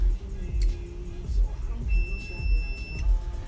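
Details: Multimeter continuity test on the K5 Blazer's fuse block, with one lead on a fuse block terminal. A single steady high-pitched beep of about a second over a low hum shows continuity through the fuse.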